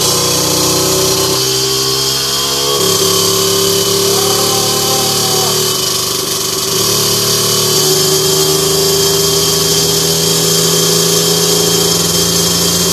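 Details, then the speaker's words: 17.5 mm carburettor two-stroke on a test bench, needle clip deliberately set far too rich: part-throttle buzz sounds woolly and wavers instead of crisp, though it pulls fine at heavy throttle. Rich mixture at mid-throttle. "je vais leur montée sur la machine sur le banc et je te montre ce qui se passe tu vas voir que c'est pas terrible"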